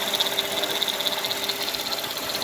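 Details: Mercedes ML430 M112 V8 at idle: fast light metallic rattle and ticking at engine front, loudest via stethoscope at secondary air pump bracket; accessories ruled out; confirmed worn timing chain, replaced with front engine components.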